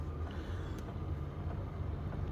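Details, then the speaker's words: Diesel heater in an Alu-Cab canopy camper, heard from inside, cabin warming from about 13 to 19 degrees in a couple of minutes: steady, even low burner and fan hum, no surging; owner notes a ticking he may soundproof; normal running. "so getting old but yeah no it works well might have to quieten down that ticking at some point probably just hear it"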